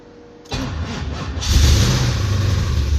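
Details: Plymouth Cuda Hemi engine, owner calls it blown up, started after sitting 10–15 years with fuel drained and a little fresh fuel added; turned a full rotation with a rough spot. Runs ragged and lumpy with an uneven low thump.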